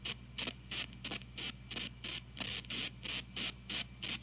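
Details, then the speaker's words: TG-TEK tablet headphone output: regular bursts of hiss, about three a second, over a faint low hum, heard only with headphones plugged in while downloading or multitasking. Amplified through a surround sound system. Cancelling the download stops it, sometimes with a delay. Interference suspected, not confirmed. "so basically what I'm gonna do is I'm gonna download this and you'll hear a bunch of like weird hissing noises coming out of the speaker right here"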